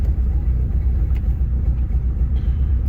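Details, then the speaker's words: 1997 Eagle Talon 420A non-turbo, idling around 1,000 rpm: low uneven rumble that sputters and misfires when throttle is hit, less when opened slowly, with heavy exhaust smell, lots of smoke and tapping. "can hear it sputter. If I do it slowly, not as much. When I hit it, you can hear it misfiring."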